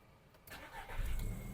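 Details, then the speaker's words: 2006 Volkswagen Golf Plus, 1.6 MPI petrol, 195,000 km: starter spins briefly, engine catches at once and settles into a low, quiet, even idle with no stumble or smoke; healthy start. "автомобіль завівся зпівтику не димить не троїть не рчить екологія на місці працює тихо рівно"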